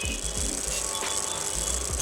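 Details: Stand fan on first speed, bush and gearbox checked fine: a fast rattling buzz with light knocking pulses over the fan's hum, from the rotor sliding back and forth on its shaft (end play).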